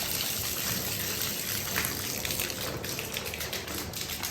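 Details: House basement plumbing with the water supply just turned back on: hard continuous gushing and splashing of pressurized water pouring from an open pipe where a valve is missing.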